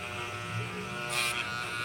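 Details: Hair clipper that stopped cutting and made noise: steady high buzz with a brief harsher rattle midway, from a blade sitting loose on its drive arm. Fixed by gluing the blade firmly in place.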